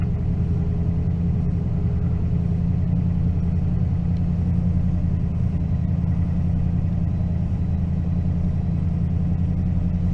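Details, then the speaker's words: 2004 Toyota Tundra running badly: deep idle rumble with an uneven stumbling beat about three times a second, high idle breaking up; scanner shows random multiple-cylinder misfire plus an O2 sensor code. "i think the idol is so high that it is not if that goes to kick down it runs very rough idles very wrong i can feel it right now if i'm hitting it he's breaking up"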